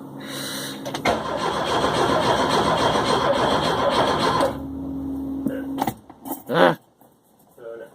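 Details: Car with fresh gas, new ignition coil, working starter, fuel pumps and fuel distributor: starter cranks steadily at about three and a half turns per second for several seconds but never catches; crank, no start, owner suspects spark plugs or injectors.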